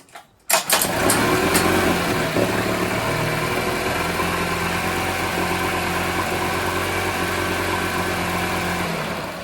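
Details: 1980s Honda four-stroke outboard from a dumpster, after carburetor cleaning: starts on the first pull and settles into a steady, even, smooth idle; running healthy.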